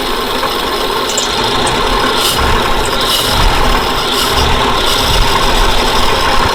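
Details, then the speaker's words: 1940s Dodge military truck converted to fire truck, sat about 30 years, first run after replacing a bad coil, fed from the float bowl: fairly steady, smooth idle without stumbling or heavy knock, oil pressure about 20-30 psi. "Pressure, we'll say 20, 30 psi if this is what it stalls to. I still can't get over how that idles though."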